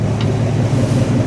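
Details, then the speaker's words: '64 Ford stepside with fresh stock 302 V8 swapped in, recorded from the rear, temperature 160, oil pressure 50 psi, charging: deep, steady low rumble with an even beat, no knocks or misses; sounds pretty good. "Sounds good when you sure you can hear that or not, but sounds pretty good."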